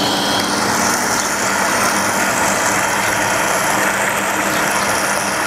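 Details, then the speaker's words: Shimizu PC-260 BIT jet pump with pressure tank removed, outlet fully open: steady, even motor hum with a constant rush of water, no surging or pulsing; running normally at full flow. "Nah ketika ini dibuka penuh ya nggak masalah ya, tapi perhatikan apa yang terjadi kalau saya kecilkan aliran airnya."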